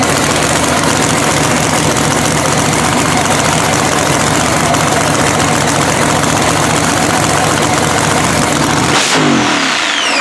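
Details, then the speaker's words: Blown 3,500 HP Hemi drag truck after an all-night rebuild following a 3-second pass. Loud, choppy idle holds steady for several seconds, then shuts off cleanly; appears to fire on all cylinders. "Man, how great was that, dude? We got it running."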